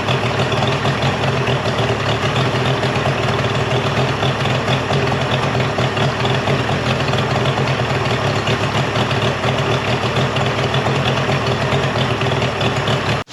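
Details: Mercury 50hp three-cylinder two-stroke outboard after full service, new switch box (old failed DVA test at about 230V) and clogged telltale hose cleared: steady busy buzz with even beat, no dropouts until shutoff, runs great.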